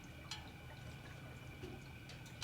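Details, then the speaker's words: 1966 Chevy Impala, once flooded in salt water, after first real test drive: wet gurgling, dripping and splashes over low hum from the transmission leaking hot, darker but not burnt-smelling fluid; cause unknown, clog suspected. "That is the transmission, right? It is the transmission. Yeah. Why? How? How? I mean, it is a hydraulic pump that sucks all that stuff up in there."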